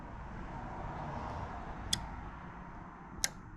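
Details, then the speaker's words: 2003–07 Chevrolet Silverado with a custom-built factory fog light harness (RPO T96) and added relay: two crisp, faint relay clicks about 1.5 s apart when the fog light button is pressed, normal relay switching. "but if I come into my truck and I hit my fuse button or my hit my fog light button you'll hear the click from the relay"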